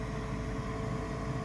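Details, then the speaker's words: 1969 Ford F100 heater blower motor switched on after bridging a blown fuse with gum wrapper foil: even continuous mid-pitched hum, no rattle or surging; blower runs properly, showing the fuse was the fault. "So I've got the heater blower motor on. I'm watching the fuse. You're watching it with me. Kind of nervous. Hey, motor came on."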